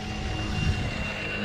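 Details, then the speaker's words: Rebuilt XRT RC truck on test after rebuild: steady, even drivetrain hum and constant motor whine, no clicks or grinding; gears fine and servo steering strong and quick; running healthy. "gears don't seem to be having issues running good turn turn strong that Servo in there is turning it good quick you know it's running good"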